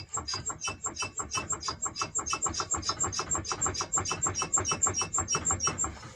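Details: Car raised on jack, rear right wheel turning: high thin chirp pulsing about three times a second, a whistle from the rear right wheel; drum and bearings to be removed and inspected.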